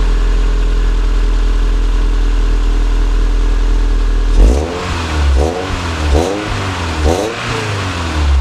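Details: Toyota SW20 MR2 after repair of an exhaust leak at the catalytic converter: steady smooth idle, then three clean revs rising and falling with no ticking or puffing; exhaust sealed and healthy.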